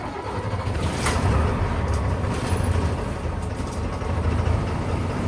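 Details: Bus diesel started after intake heater glow plug cycled off, no throttle touched; deep, even rumble settling into a steady idle, a healthy start and smooth running.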